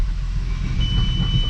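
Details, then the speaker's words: 12v VR6 Jetta wagon after refresh with clutch work done, car raised, no load, in third gear: steady low drivetrain rumble with faint gear whine, no clunks or knocks. Normal transmission operation. "fourth reverse nice and it feels smooth i don't hear any like clanks any uh"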